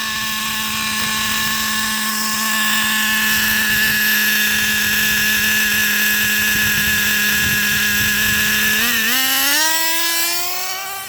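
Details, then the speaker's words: 2008 Traxxas Revo Platinum Edition 3.3 nitro RC truck, first run after two and a half years, outdoors in wind: steady high buzzing idle well above normal that climbs with throttle. Idle too high from an incorrectly tuned low-speed needle. "Right now it's at kind of high idle because the low-speed needle is tuned incorrectly. So it takes a little bit of time to get them tuned correctly."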